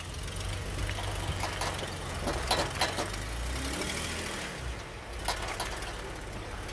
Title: Jeep clicking noise while turning in 4WD